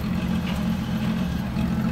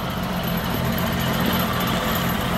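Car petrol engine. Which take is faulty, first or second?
second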